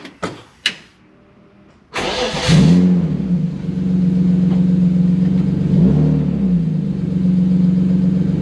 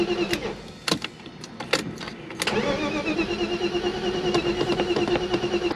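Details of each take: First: BMW E36 (early-1990s 325is), test-swapping DME engine computers, second DME fitted: brief crank catches at once and settles into a steady, even idle with no misses or knocks; normal start and idle. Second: BMW E36 crank no start, cranking after swapping in a known-good ECU from a 93/94 325is. Starter whirs the engine over evenly but it never catches. Crank no start.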